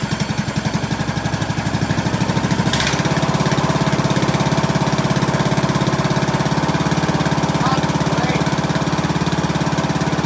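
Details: 2003 Craftsman LT2000, 18.5 hp Briggs & Stratton Intech, first start with fresh gas and plug: an even putter at about 3.5 beats a second, settling smoothly after a brief pickup; runs well, needs an air filter and oil change.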